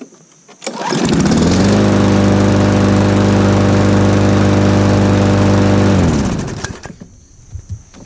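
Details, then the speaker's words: Small lawn mower engine after its bent crankshaft was straightened and its carb fixed: starts and runs at a smooth steady speed with no heavy shaking or knock, then shuts down; sounds healthy, normal running. "that's definitely fixed that's not shaking too much anymore"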